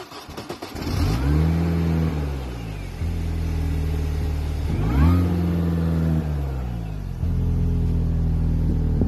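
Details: 2004 Mini R53 JCW supercharged petrol engine idling roughly, low drone wavering and surging in pitch every few seconds; began after head gasket and timing chain replacement plus other small fixes.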